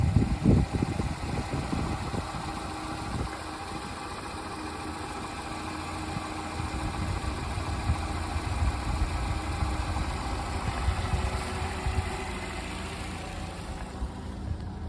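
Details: 2015 Nissan Rogue petrol engine idling rough with an uneven, shaky low rumble that pulses irregularly; cause not confirmed.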